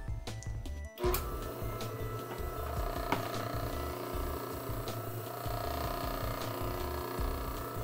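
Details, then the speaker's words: Dayton 6K857 3/4 hp furnace blower motor, warmed up after disassembly and shaft polishing: a steady, even hum at constant pitch with no squeak, rub or grinding. The squeak is fixed and it coasts down longer. "well it's been running for a while it still sounds good"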